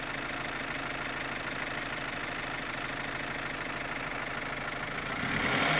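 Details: 2015 Opel Astra H Z16XEP petrol engine at idle: sharp, even valvetrain-type ticking near four per second; stops when cylinders 3 and 4 are cut, tappets replaced and injectors ruled out, non-original camshafts suspected; cause not pinned down.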